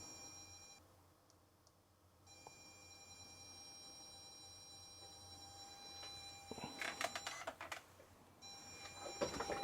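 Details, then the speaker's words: Old cassette player feeding a ZX Spectrum after swapping the leads: quiet steady data tones with short screech bursts as it finds side A, volume set correctly; normal tape loading signal. "now it seems like it gets a signal at least yep I know you hear it through the computer yeah it found side a"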